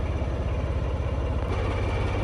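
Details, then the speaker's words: Locomotive D9531 Paxman diesel after an injector overhaul: it started immediately into a deep, even thrum with no misses or knocks and virtually no smoke. Normal steady idle. "Nice steady idle as well, which is absolutely fantastic."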